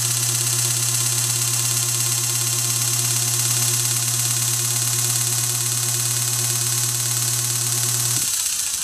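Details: 1920s Century repulsion-start induction motor, dual voltage, tagged as humming only, back in its normal running connection: a steady low electrical hum with an even whir and no growl or rubbing, then a clean cutoff; runs smoothly.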